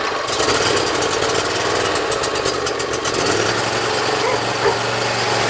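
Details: Briggs Intek V-twin mower engine, cold start on full choke after valve lash adjustment and an oil change, no starting fluid: catches and settles into a steady, even run with no misses or surging. Previously hard-starting and surging.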